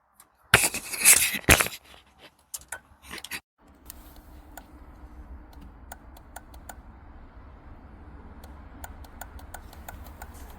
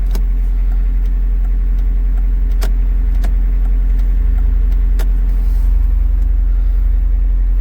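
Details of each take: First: VW Lupo with dead batteries: faint uneven ticks from within the dash over a low hum. Hazard light relay suspected, but replacing the relay did not stop the ticking; source unconfirmed. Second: VW Lupo after stripping the steering column and fixing the indicator switch: restarted with hazards working, engine idles with a steady low rumble and no repeating dashboard click, only a couple of stray taps; electrical clicking gone.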